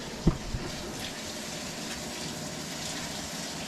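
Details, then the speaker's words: Frigidaire laundry center washer, after repair of a no-start fault where only the lid locked. Click, then a steady, even rush of water filling the tub on a normal cycle with warm water; the washer now fills normally. "so it's filling so i'm gonna run the washer for maybe about five minutes just to make sure everything is working fine"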